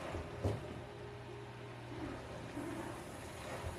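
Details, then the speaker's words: Free used craigslist dishwasher after installation, filling with hot water: low steady motor hum with soft water and clunk sounds; it is running normally. "it sounds good. Everything sounds fine. Hot water, too."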